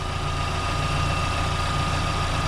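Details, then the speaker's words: Freshly rebuilt Daewoo Lanos engine, hot idle at operating temperature, oil pressure at idle about 3 judged excellent: steady, even low hum with no knock or tapping; earlier noises gone, healthy. "так машину прогрели сейчас уже этих звуков не слышно"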